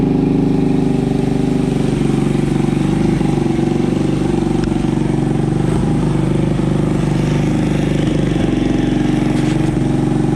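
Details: Honda ATC 200ES single-cylinder, long unused, just fitted with Chinese carb: runs steady and fast with no dip or stumble; idle too high, needs dialling back.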